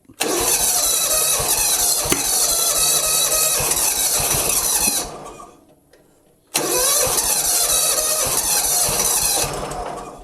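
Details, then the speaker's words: John Deere Hydro 175 mower left outside a long time, possibly with old gas: two long cranking bursts, each catching briefly and dying. The spark plug was soaking wet and was the wrong BR8ES instead of a BR5ES, causing hard starting. "And it's soaking wet. Okay, the spark plug is a BR8ES that was in there, and that is the wrong spark plug for this engine."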